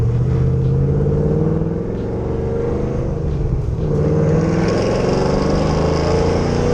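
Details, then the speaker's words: 2010 Camaro SS V8 with BTR Stage 4 cam, long-tube headers, Borla axle-backs, 3.91 gears, test drive after replacing blown header gasket and spark plugs: deep smooth drone rising with throttle, loud ticking and misfire gone. "wow oh my god it drives so much better jesus christ and they don't have that loud ticking noise"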